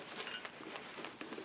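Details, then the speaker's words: Tektronix type 130 L-C meter, grimy used unit before opening: light irregular ticking patter as the case is tipped, something small loose rattling inside, cause not yet known; meter needle still swings freely. "there's something rattling around inside of it it's rarely a good sign"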